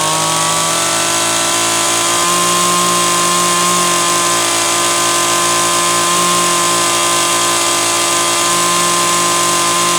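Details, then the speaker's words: Homelite Super XL chainsaw (brought in for boiling fuel and overheating) on test run after starter spring fix and replacing a bad new spark plug; steady full-throttle scream, even, no surging or misfire; high-speed mixture set slightly rich on purpose to warm it up; running healthy. "oh man she's just a tiny tiny bit Rich still on the high side but I did that on purpose that way I could run it pegged like that to try and warm it up a little bit"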